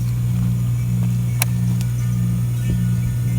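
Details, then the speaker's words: Ameristar heat pump after defrost control board replacement: the compressor restarts after defrost while the outdoor fan is still spinning to a stop, giving a low, steady hum with no knocks or rattles; it runs normally. "okay there comes the compressor back on rest you're only no fan it's still spinning to a stop and we should see this number start to rise"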